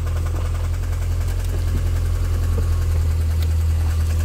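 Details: Mini One R50 1.6 16v 90hp, started cold and warming up: uneven metallic clatter at idle; slack timing chain slapping guides, hydraulic tensioner suspected.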